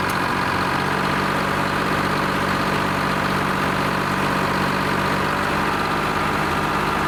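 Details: Lima 34 shovel's old two-stroke diesel at its first start-up after repairs, before greasing and digging: it idles with a steady, even drone and no misses or knocks, running healthy.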